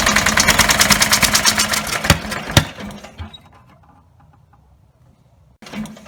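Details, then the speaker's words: Rebuilt Briggs & Stratton 17HP engine (carb rebuilt, plugs, sump, oil slinger, gaskets replaced, valves reseated) starts only at full throttle, running fast and loud with a choppy beat, then falters and dies when throttled down; owner suspects throttle linkage lever. "I can start it it'll start up if I put the throttle all the way up and just rev up really loud like the engines gonna blow and but if I turn it back down it doesn't either a little just died on me"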